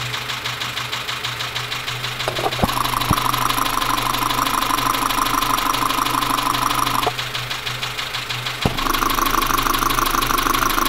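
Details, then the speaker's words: Dacia Sandero, Renault D4F 1.2 petrol, idling, recorded via stethoscope-style recorder: sharp, loud metallic knock about three per second over the idle hum; owner first suspected low oil and possibly a spun bearing, unconfirmed. "so here we go [Applause] so you can clearly hear the knocking"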